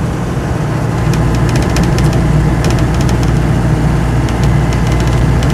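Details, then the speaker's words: 1958 Land Rover Series 2 88-inch diesel soft top, 95,000 miles shown, driving in overdrive: steady low diesel drone under road load, overdrive quiet without howling, no driveline clunks or drones; door frame rattles slightly. Healthy. "the overdrive is actually pretty quiet it's not the sort of nasty howling thing these sometimes have"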